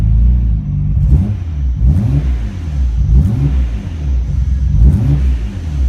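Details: Nissan Skyline GT-R R32 RB26 after twin turbo upgrade overhaul and E85 conversion: four or five clean throttle blips, deep rumble rising and falling with no knocks or rattles; healthy, strong-running engine.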